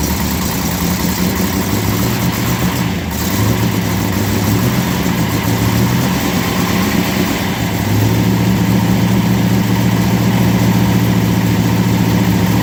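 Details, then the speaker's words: 1970 Dodge Challenger convertible V8 (aftermarket Holley, electric choke), cold start with water temperature not yet up and oil pressure about 70 psi. Rough idle with light ticking: exhaust leaking on one side, plus slight, not-serious wrist pin noise. "Wrist pin noise. You may hear a little bit of wrist pin noise down there. It's not too serious."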